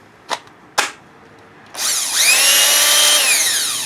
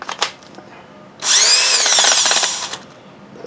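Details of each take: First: Makita BHP452 18V hammer drill after gearbox cleaning and rebuild with light grease, on a weak battery: two blips then clean, steady high motor whine spinning up smoothly, no grinding or rattle; runs healthy now that dirt is gone. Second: Makita BHP452 18V hammer drill, used and dirty, before restoration, on a weak battery: spins up about 1.5 seconds with rough grating whir instead of clean hum; dirt-clogged gearbox.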